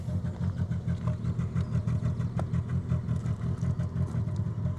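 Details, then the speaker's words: Suzuki Grand Vitara (part-exchange) at cold idle: uneven, stumbling exhaust beat of about three pulses a second, dropping out irregularly, with smoke and a petrol smell. The comical misfire is not a coil pack but something more serious. "so I'll leave it running so you can hear the comical misfire I think it's trying to rev quite high now to sort itself out but yeah sadly that's not just like a coil pack or anything like that it's something far more Sinister"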